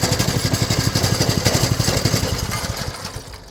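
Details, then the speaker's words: 200cc go-kart, customer says wheels turn continuously once started; idle speed already set fully back. Single-cylinder thumps evenly about four beats a second at idle while the wheels keep turning; clutch not disengaging. "The customer says that the wheels continuously run when you start it up, so we'll have a look, see what's going on. Fuel on. Yep, as we can see, the wheels are turning."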